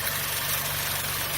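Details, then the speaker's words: 2013 Chevy Cruze 1.4L turbo at idle with codes P0171 and P1101: running very rough with loud steady hiss of air sucked in at the failed PCV valve in the valve cover; vacuum leak, fixed by replacing the valve cover/PCV assembly. "So the engine's running. It's running really rough at idle. I can also hear a hissing sound."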